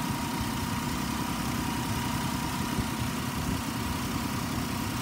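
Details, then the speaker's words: 2007 Ford Explorer XLT, 4.0 L V6, idling after about an hour of running without overheating: steady, even low rumble with a faint steady tone above, no knocks or stumbles; smooth idle. "it's got a 4.0 liter v6 it's been running for about an hour has not overheated it idle smooth revs up nice"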